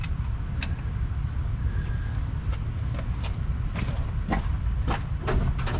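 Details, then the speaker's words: 1964 Ford 289 in a 1962 Mercury Meteor on its first start, with fuel sprayed in: uneven chuffing and sputtering, catching but never running; owner suspects ignition timing, possibly the condenser. "it sounds like timing to me you got gas now what was spraying gas with spring gas let's see let's see this is definitely a timing issue at this point timing or what a condenser"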